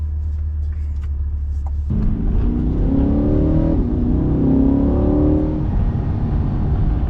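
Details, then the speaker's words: 2023 Chevrolet Corvette C8 V8 in track mode (Z button) with exhaust valves open and rev-matching: deep loud exhaust holding high revs rather than upshifting, rising cleanly with no misses or rattles; healthy. "Beautiful exhaust note in track mode. It hangs the revs, doesn't just upshift, which is awesome."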